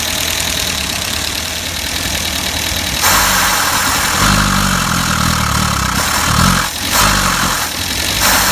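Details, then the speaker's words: Max the van after an engine top-end rebuild and ignition timing adjustment: engine coughs and surges unevenly, stumbling and unwilling to rev; now running but still running poorly, cause unclear. "all right so I've had success getting him running but he's still not running probably"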